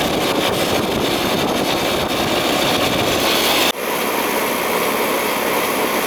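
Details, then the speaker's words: Old Ruud AC outdoor unit restarted after coil cleaning, with high head pressure; harsh rough roar with a sudden dip partway through; compressor sounds worn, may need a new unit. "hear it because it's compressor is not sounding all that good so you might need a new unit"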